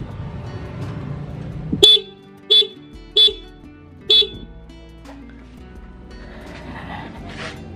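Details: Honda Beat scooter horn refitted after turning the adjusting screw on its back for the loudest sound: four sharp, loud, clear beeps with a bright steady tone; horn strong and healthy, no replacement needed.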